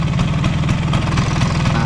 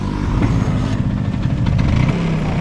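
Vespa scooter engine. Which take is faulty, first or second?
first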